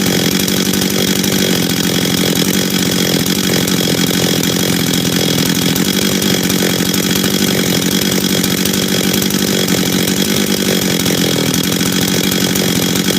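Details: Husqvarna 385 chainsaw, first start after reassembly, first heat cycles: steady, crisp, even two-stroke buzz with no misfires or rattles; starts and restarts easy, throttle response good, idle good, chain brake works — normal running.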